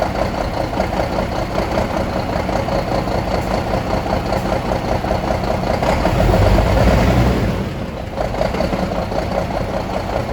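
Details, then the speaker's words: Scania DC12 truck diesel idling with low oil pressure reported and heavy smoke: rough, uneven knocking clatter of two to three beats a second; all bearing shells spun, cylinder liners and pistons damaged; crankshaft bearing knock. "son est très étrange, beaucoup de fumée, son effrayant, au début je pensais que le problème serait mineur."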